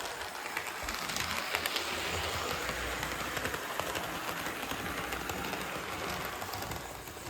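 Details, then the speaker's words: Budget SD40-2 model locomotive after a cheap replacement motor upgrade, running laps on the track: steady, even rolling hum with light wheel clatter and no motor growl, much quieter and smoother than before; normal smooth running. "try to get it to slow down on a Bend but you get the idea much quieter much smoother"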